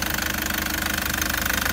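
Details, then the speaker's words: Toyota Prado 2013 (MY14), Denso 1KD-FTV diesel, 130,000 km, at idle: sharp regular metallic knocking evenly spaced over the diesel idle, engine not running right; premature injector failure, needs new injectors. "this one it isn't right it should be right there's going to be a reason why it's not right"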